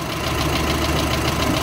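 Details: VW Amarok 2.0 diesel at idle before engine rebuild: light quick knock ticking through steady idle, worn connecting rod small-end bushing; connecting rod small-end bushing knock.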